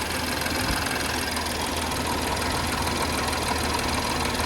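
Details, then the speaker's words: 2017 BMW X5 N55 petrol after belt, tensioner and idler pulley replacement and new spark plugs, cold start idle: steady with light quick valve tapping expected to stop when warm, pulley whine gone; normal idle. "My valve's been tapping like that. Once you get all the miles on there, they tap like that. Yeah, once it warm up, it'll stop."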